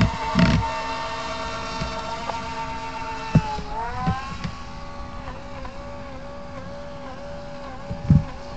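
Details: FT012 RC boat, slow to accelerate but high rpm; with the hull held still at full throttle, a high electric whine sags, warbles and cuts in and out with the shaft; owner suspects the motor, no binding found.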